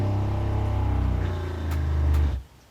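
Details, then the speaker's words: Airstream Rangeline water pump after isolating it and adding glued baffles and pipe insulation against loud in-cabin rattling: steady, low, even hum with no rattle, running smoothly before shutting off; much quieter. "definitely much quieter"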